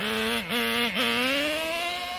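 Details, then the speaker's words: Traxxas T-Maxx 2.5 nitro engine fitted with a Losi 3.4 carburetor sags twice off throttle, then climbs slowly and flatly. It is running really rich, leaving no bottom end. "there's no bottom end with this freaking carburetor on it and i don't like it right now it's running really rich which is no big deal i'd rather have it run rich than lean"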